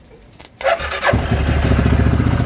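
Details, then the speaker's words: 2013 CF Moto Z6 at 32°F after a new starter was fitted to cure no power to the starter: brief crank, then it catches at once and settles into a steady, even idle; a healthy cold start. "It's 32 degrees out. She started right up with that new starter."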